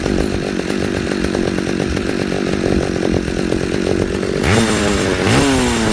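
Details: Pioneer P61 100cc chainsaw, received with no spark, now firing. A rough two-stroke idle burbles along, then the saw screams up in two clean throttle blips and drops back. Normal running.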